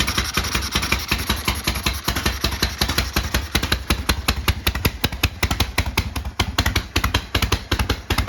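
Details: 1972 Harley-Davidson Sportster V-twin, started ice cold after sitting 32 years, with a new starter, solenoid and regulator and sorted wiring: sharp, loping potato-potato beats, about 2.5 a second, holding steady. Normal idle.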